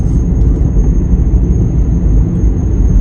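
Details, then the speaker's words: Car while driving: a thin, steady high whistle over low road rumble that seems to come on when accelerating; source unknown. "oh can you hear that whistling my car's making a whistling noise I don't know what it is it probably will be expensive that's all I know seems to be when I accelerate"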